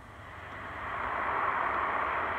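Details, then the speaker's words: Vinyl-liner swimming pool, listening with an underwater pool scope and amplifier: a soft hiss that grows louder over the spot, water rushing through a hole in the liner; leak located. "that's the sound of water rushing through."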